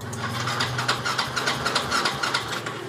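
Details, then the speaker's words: Xeon scooter after the noisy starter motor was taken apart and found dry: steady, even cranking at about 3.5 turns a second with no harsh grinding. Starter now normal; the no-start was just an empty fuel tank. "Oke, coba ya, sudah tidak bunyi kasar ya starternya,"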